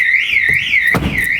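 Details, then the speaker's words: Van alarm test: deadlocked via factory remote twice, wait at least a minute, then door opened manually with key; loud siren sweeping up and down about twice a second with door clunk; alarm working normally. "If you open up that door and you hear the alarm going, you'll know that you've got an alarm."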